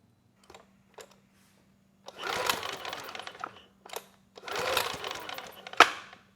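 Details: Sportsman GEN2200DFI 1800 W dual-fuel inverter generator (Yamaha MZ80 clone), after resetting the ignition pulse-generator air gap close to the magnet: two long rattling rope pulls, never fires; the gap change made no difference, cause unknown.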